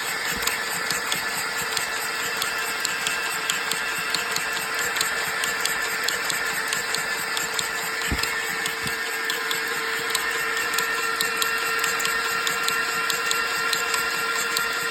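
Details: Mercedes OM642 (642.896) V6 diesel in a Sprinter 319 at idle: a fast, sharp, evenly rhythmic ticking over the engine. An unexplained knocking or tapping inside the engine.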